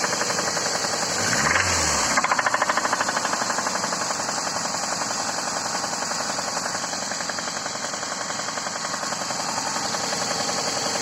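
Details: VAZ-2111 engine start and idle: a sharp knock repeating roughly twice a second over the engine note, from inside the engine. Source unconfirmed.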